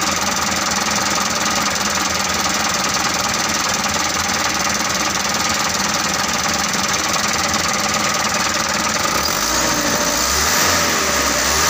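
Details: Mitsubishi Canter 125 diesel that was hard to start, after fuel injection pump adjustment: steady, rattling clatter at an even idle speed; idle holds and runs acceptably, though not fully satisfying.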